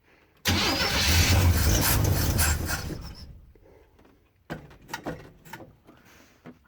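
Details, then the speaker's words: Classic Chevrolet van parked for years, possibly Rochester-style carb with fuel far back, jump pack, after repriming. Fast even cranking, three to four turns a second for over two seconds, never catches; crank no start, owner suspects fuel pump from sitting. "I hope we haven't lost our fuel pump from sitting all this time. That fuel has a long way to go from the back of this van up to the carb."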